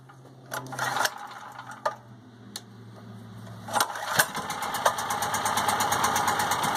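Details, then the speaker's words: PowerIt 3800 W generator with a 7 hp 4-cycle gasoline engine, started after sitting over half a year: a few pulls and sputters, then it catches and settles into a smooth, even run; it starts and runs fine. "I just want to make sure the generator burger started up pretty good for sitting already there we go guys start it up without any issues again"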